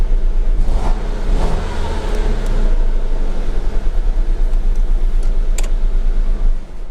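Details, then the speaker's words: Dodge Dart at idle with check engine light on: lumpy, uneven low rumble of an engine misfire. "I want you guys to listen what it sounds like he will be misfiring and you will notice the engine light will be on"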